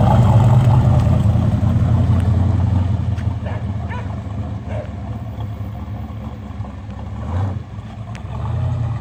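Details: 1967 Corvette coupe with freshly rebuilt 502 big-block (about 500-507 hp on dyno, tame idle), first drive: deep, lumpy rumble pulling away then settling into an even low burble, no knocks or ticks; healthy running.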